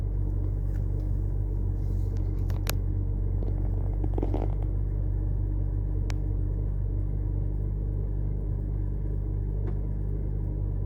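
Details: BMW 325i N52 idling after replacing plugs, coils, VANOS solenoids, DISA valves, gaskets, oil separator, MAF, cleaned injectors and intake for misfire and rough idle; low steady rumble, fairly even beat, no stumble or miss. Normal idle.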